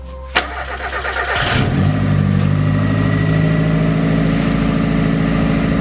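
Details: Mazda MX-5 NA turbo after a DIY coil-on-plug conversion: the starter whirs briefly, then the engine catches and settles into a steady, even idle with no misses or knocks; normal, healthy start and idle.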